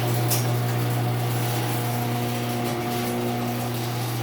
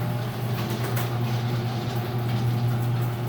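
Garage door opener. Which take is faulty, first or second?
first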